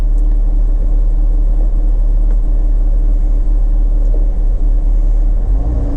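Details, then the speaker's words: Jeep Grand Cherokee WK2, nearly 100K miles, just after new spark plugs and PCV valve, battery having been disconnected: deep steady rumble with no misses or ticks, slightly slow lazy idle, sounds like a low idle; running normally. "But actually say, if anything, it sounds like a low idle right now."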